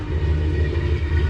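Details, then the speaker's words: Ford F150 sleeper with newly built block and single turbo, first drive after first start of the new engine: deep even idle with gentle rhythmic cam lope, otherwise quiet; normal healthy idle. "anyway, you can definitely hear the cams in there now, even though it's quiet. super duper quiet."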